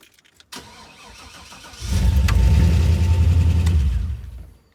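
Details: Chevrolet Silverado 6.0 V8 after installing a Walbro 255 in-tank fuel pump, system primed: brief crank, then catches cleanly and settles into an even, steady idle with no stumble or misfire; starts and runs fine.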